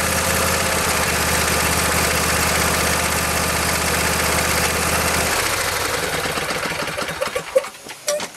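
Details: Husqvarna YTH22V46 yard tractor, Briggs and Stratton 22hp Intek V-twin, after new Champion RC12YC spark plugs: even, regular putter for about five seconds, then a clean shutdown; runs smoothly without misfires.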